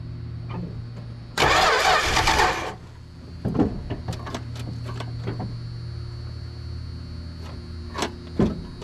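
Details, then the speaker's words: 1974 Plymouth Duster slant six, 904 trans, sitting since 1987, gas poured in with choke open: long hiss, then steady cranking with uneven pops as it tries to catch but never runs; lack of fuel supply suspected. "I think if we can get some fuel to that thing we'll have a running car"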